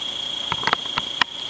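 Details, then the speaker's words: Vornado fan running a couple of minutes: thin steady high squeal over hum with uneven clicks as it slows and sputters; owner suspects dust in the motor, fixed by cleaning. "ne runs, but after a couple minutes it'll start making a squealing noise, and seems like something's rubbing inside in the internal parts of the motor."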